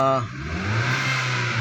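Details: 2016 Hyundai Elantra: steady low humming from inside the engine bay at an even pitch under the running engine; source not yet pinned down, steering pump mentioned as a possible cause, unconfirmed.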